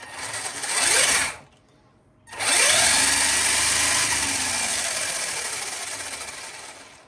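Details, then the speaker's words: LRP S10 Blast TX 2 RC truggy after a rebuild, brushed motor on a NiMH battery: smooth high-pitched motor whine rising and falling cleanly with throttle, short pauses between runs, no grinding; servo quick, brushed motor strong, healthy. "Пробуваме десно, иде. Лево, иде. Доста брзо серво има. И доста јак бршот мотор."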